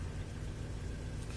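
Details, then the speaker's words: Engine running with an Arduino fuel and spark piggyback delaying the crank signal to the ECU; after timing adjustment is turned back, the engine returns to an even, low, steady idle with no misses or knocks. "adjusting it back agent returns to normal mode"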